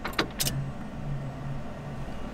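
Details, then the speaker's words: LS-swapped Chevy S-10 burnout truck before its first start: after the ECU setup, cycling the key clicks the relays, then the fuel pump hums as it primes to fill the lines up to the injectors. "like it I hear something right now your stuff clicking all the relays and stuff are clicking someone in check and see if we got any fuel"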